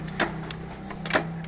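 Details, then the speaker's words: Old Yamaha Vega R motorcycle kick starter slipping and never catching: two quick scraping whirrs over a steady hum. The clutch side is then dismantled to find the cause. "engkolnya dia ngelos nah ini ya dia sama sekali gak nyangkut ya"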